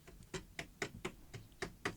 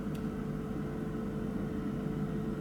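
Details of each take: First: Salter EK5872 air fryer after repair: sharp taps about four a second on the housing, each with brief buzzy ring; heating element loop touching its neighbour vibrates, stops when finger placed between loops; design trait, harmless. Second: Salter EK5872 (LIDL EK5872LDL) dual-compartment air fryer, after repair of a suspected thermal fuse failure that stopped one side heating: even fan hum, then three beeps about a second apart and motor winds down; normal operation.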